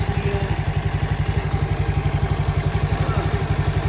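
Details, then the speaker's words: CT70 clone with Nibbi carburetor after going up a pilot jet size (was lean on the bottom end): slow lumpy idle about four chuffs a second, barely running with choke off, no longer bogging cold; idle air-fuel mixture needs a tweak. "It's actually idling with the choke off. Barely. Uh air fuel plane needs a tweak, but I think we're good."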